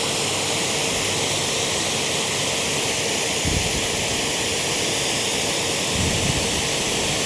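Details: Active 3.0 pressure washer (rated 3 GPM) with 100-ft 5/16 hose during PSI test, settling at 835 PSI; steady, even rushing hiss with no surging or pulsing; holding pressure and spraying normally.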